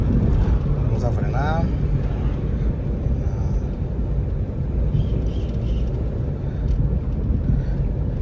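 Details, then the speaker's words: Dodge Avenger road test after brake repair for squealing when braking: steady tyre and road rumble while slowing, no squeal or grinding; the previous squeal is gone. "ver un fren ver ya ya ya no hace el ruido que hacía antes el rechinido"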